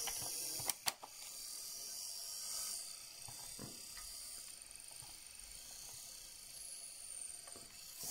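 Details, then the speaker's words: 1959 Clarion transistor battery 3-inch reel portable tape recorder, back removed: faint high whir wavering in level with scattered clicks; motor drive wheel not getting proper contact on the wheels, spring adjustment fiddly. "quite getting the right contact on the wheels just the spring but if i adjust it one way he didn't like it"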